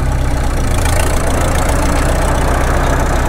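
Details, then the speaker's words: Caterpillar D2 (5U) diesel, first run after sitting 20 years, crawling in first gear. A deep, rough growl from the rear drivetrain sits under the steady, healthy-sounding diesel; cause unknown. "oh this thing's growly in the back end though well that diesel sounds good"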